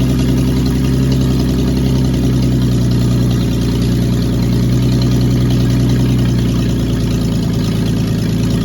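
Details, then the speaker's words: Cab-over van conversion engine after the fuel pump and distributor were refitted and the distributor cap put back on (a vacuum leak was noted). Deep, smooth, steady idle with no ticks or misses, oil pressure 40 lb. Normal idle. "all right I'm calling that a win"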